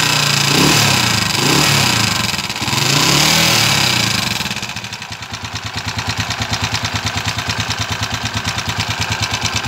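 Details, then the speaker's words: TMX155 motorcycle engine; revving then settling to idle with a tinny, can-like metallic rattle riding every beat, about three a second, broken-sounding; timing gear noise. "aan narinig niyo po yung andar niya parang lato may lato siya sa loob tapos Basag yung tunog ah parang lata yung andar"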